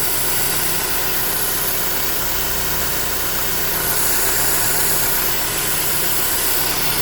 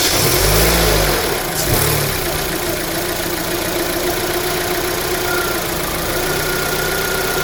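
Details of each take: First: 2009 Holden Cruze JG 1.8L F18D4 petrol, auto, idling: strong airy vacuum-leak hiss from the cam cover with cracked internal PCV valve, tone changing partway; causing white exhaust smoke, cover to be replaced. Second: 2009 Holden Cruze JG 1.8L F18D4 that blew white smoke from a bad PCV valve, after fitting a new rocker cover with built-in PCV: smooth, even idle, no hissing or air-sucking sound.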